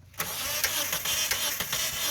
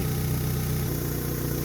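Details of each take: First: Mitsubishi car, engine cranks but won't start: starter spins steadily for about five seconds without catching; a cracked vacuum hose from the fuel pressure regulator to the intake manifold was found releasing smoke and even sparks during cranking. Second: Mitsubishi that cranked but wouldn't start, after repairing the cracked hose between the intake manifold and fuel pressure regulator: smooth, even low hum with steady rhythm, no hunting or misfire; starts, revs and holds idle correctly.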